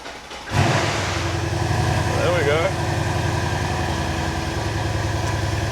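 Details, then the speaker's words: Rebuilt Mercedes C63s AMG after an engine swap, cam position checked: quick crank, catches at once, then settles to a steady, even high idle with no rattle or tick; revs drop, check engine light off, no codes, healthy cold start. "Oh, there we go. Now it's dropped the revs. Now they're no longer red."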